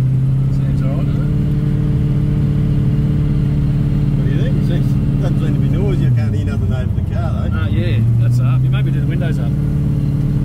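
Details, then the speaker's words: Road test after fitting an M80 Torque-locker 3.46 diff: steady low driveline drone with no whine or howl rising with speed; rear diff quiet, normal. "15 there no noises don't run out of fuel don't have to walk back"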